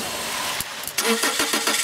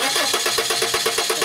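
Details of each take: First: 1995 Subaru Legacy 2.2, after the new igniter was installed to fix the no-spark, no-start: a few quick cranking beats, then it catches cleanly and settles into a steady, even run. Good spark, normal start and idle. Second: 1995 Subaru Legacy 2.2 cranking: steady, even starter cranking at about eight pulses a second with no firing; no spark, no coil negative control on either coil, failed igniter.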